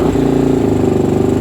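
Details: Small cheap single-cylinder first motorcycle, started on choke: quick, even chuffing at fast steady idle, picks up cleanly with no misses.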